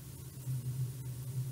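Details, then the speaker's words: DIY droid actuator motor under the onboard position control loop on the motor board, with velocity gain raised. A low, steady buzzing hum swells and fades slightly: vibration caused by the raised velocity gain. "c'est le bruit c'est le bien vélocité qui fait ça avec le groupe c'est cool hein"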